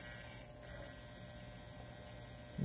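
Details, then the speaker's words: Steady low electrical hum with a thin high whine from a cheap modified sine wave inverter running on an 18650 power wall; inverter functions, buzz typical of modified sine wave output. "yeah these are modified sine waves pieces of junk as I said in many of my other videos but I'm just happy that this thing does function"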